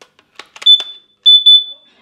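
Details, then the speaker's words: Hard-wired combination smoke/carbon monoxide alarm with a fresh backup battery: a few clicks, then two shrill high chirps, signalling the alarm reached end of life (7–10 year shelf life). "and immediately got the tripping sound of course I first blam the battery but after trying several all of which I knew were definitely fresh I ruled out the battery"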